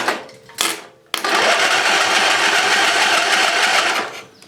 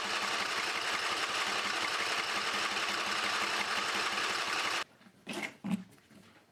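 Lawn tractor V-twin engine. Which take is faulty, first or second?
second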